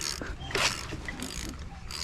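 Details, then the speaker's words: KA24DE engine swapped into a Nissan 300ZX (Z32), rotated by hand after the clutch pressure plate was found grinding on the starter. Light irregular ratcheting clicks with no catch or grinding; the engine now turns freely. "Let's try and spin the engine just to confirm. This should be nice and free. Yeah, see, that's how it should be."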